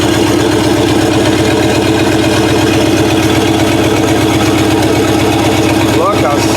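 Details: Chopped 1950 Ford Shoebox flathead V8, after sitting 20–30+ years, on a 12 V battery instead of 6 V with an electric fuel pump: open exhaust lopes at a steady, even idle with a regular beat and no stumble; runs healthy.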